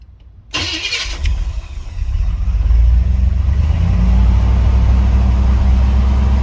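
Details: 305 small-block Chevy Gen 1, cold start with gas pedal pumped and held: cranks, catches late, revs climb and hang unevenly; hard start, unstable idle, later skipping misfire and tach drops.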